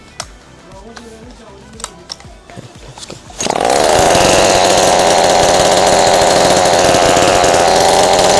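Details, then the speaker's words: Ryobi 40cc chainsaw, hot, after cleaning (it previously would not start): quiet handling sounds, then it fires and holds a steady high, even buzz with no stumbling or misfire; running perfectly fine. "It's hot right now. I turned it on. It works perfectly fine now."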